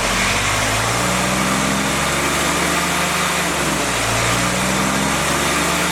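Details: Freshly rebuilt CJ5 snowblower Jeep F-head four-cylinder breaking in, original cam, revs fluctuated: steady even run rising and falling smoothly, no knocks or ticks; normal running.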